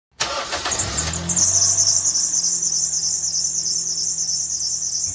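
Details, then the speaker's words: Toyota Yaris (2006–2020) engine just started: loud steady shrill squeal over idle from a loose serpentine belt slipping on its pulleys. "heard that squeaking sound, right? That sound is a fairly common issue on the Toyota Yaris, and generally it arises from a loose belt pulling and slipping on its pulleys, creating that high frequency sound."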